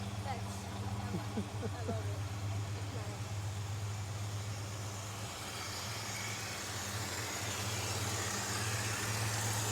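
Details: El Camino with EFI after replacing the crankshaft pulley, alternator and radiator hoses, warming up at idle: steady even low idle with no knocks or ticks, some outside hiss; engine sounds healthy.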